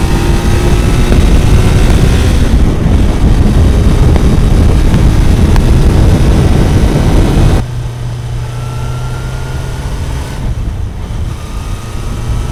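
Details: Kawasaki four-cylinder bike, warm, after fixing cylinder 1 not firing (found via wet paper on the cold header; plug caps had been disturbed): loud drone settling to a steadier, lower idle, now on all cylinders, slightly rough, still needs fine-tuning.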